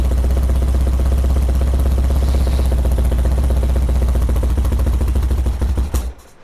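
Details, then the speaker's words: 1978 BMW R100S airhead twin, first start attempt after years sitting, choke off then on: lumpy, uneven stumbling idle that dies after six seconds, lots of smoke; owner thinks too much fuel got into the carb; one cylinder not firing, blocked carburetor. "It's a lot of smoke. Whew. Turn on the fan. I think a lot of fuel might have gotten into the carb."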